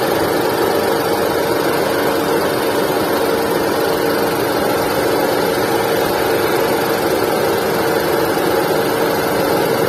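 Engine running steadily with a constant mid-pitched whine and hiss that stays level throughout; abnormal noise present, source not identifiable by ear.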